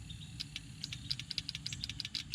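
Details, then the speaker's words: 1988 Chevrolet Suburban HVAC blower fan circuit, standard relay substituted for the original five-pin relay: quick crisp irregular clicks over a low hum, the relay switching as it should. "oh if you can hear that clicking that's what this one should be doing"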